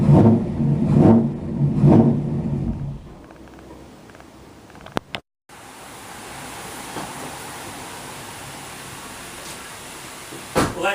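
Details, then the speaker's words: 2002 Mazda MPV V8 started right after a DIY oil change: engine catches, revs briefly, then settles into a smooth, even idle with no knocking or ticking. Normal idle. "pretty good. And that's how you do an oil change on a V8 Mazda."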